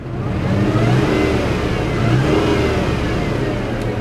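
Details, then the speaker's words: 2002 Mazda Millenia S, about 60k miles, factory supercharger, just bought from auction and throwing vacuum-related check engine codes: revs up and settles with a faint high whine following the revs. Normal supercharger noise. "it's got a little supercharger you can hear"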